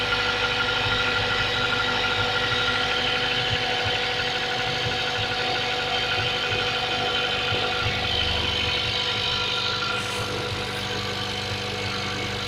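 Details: Mazda 3 1.6 engine on a cold start: regular tapping knock, roughly three beats a second, over a buzzy idle; source of the knock unconfirmed.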